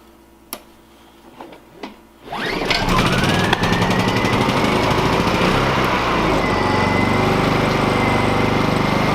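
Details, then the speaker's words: Honda EU2000 generator after repair of a rough idle, with the idle jet removed and its fuel port cleared. After a few handling knocks it starts and settles into a smooth, even idle with a steady pitch; healthy. "Perfect. Running nice and smooth."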